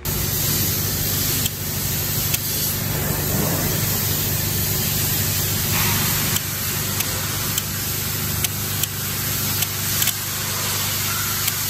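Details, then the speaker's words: International snow plow truck with International engine, hard-start fault: intake air heater relay bench-tested with trigger wire, sharp crisp single clicks at irregular intervals over a hiss as the light goes out; relay switches normally. "mga buddy nakita niyo po na namamatay yung ilaw at saka lumalagitik yung relay"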